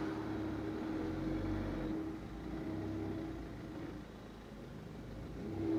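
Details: Ford C-Max pulling away: faint steady mid-pitched whine coming and going over road and engine noise; source not pinned down.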